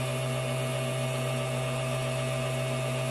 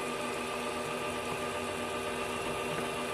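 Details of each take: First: Vehicle circuit during voltage drop testing after a temporary jumper-cable ground was added: steady even motor hum at one pitch, no stumbles or dropouts; good ground restored normal operation. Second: Voltage drop test board with a fuel-pump-style motor and an excessive ground voltage drop: steady low motor hum running noticeably slower and weaker while lights are dim; slow-running motor from poor ground.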